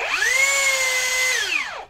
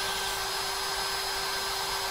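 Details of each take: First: Cheap rebranded brushless drill after re-shimming the stator upward during repair: motor spins up to a steady whine with a rough scraping hiss, even louder, like before disassembly, then winds down; rotor still rubbing the stator, needs disassembly again. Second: Cheap rebranded brushless hammer drill after repair: the rotor had been rubbing the stator and was shimmed with sandpaper or paper. It now gives a steady, clean whine that rises with the trigger and spins down smoothly without scraping. Normal running.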